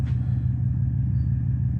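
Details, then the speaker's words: 03 Subaru WRX wagon, 236,000 miles, freshly rebuilt bottom end, clutch replaced 1,500 miles ago, running with no exhaust fitted after rebuild: deep, heavy, raw boxer idle rumble, far louder than stock, even for a Subaru. "As you can hear in the background, it's a little bit noisy, even for a Subaru. You're also going to notice that there's nothing right there. There should be an exhaust there."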